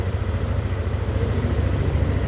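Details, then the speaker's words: Yamaha Aerox scooter after replacing the faulty fuel injector: steady, even, low exhaust drone with no stumbling, popping or hesitation. Before the repair, idle was normal but it lost power at high rpm or when throttled; the old injector differed from a comparison injector. "sudah oke teman-teman ya. Jadi masalahnya adalah dari injektor yang sudah bermasalah ya."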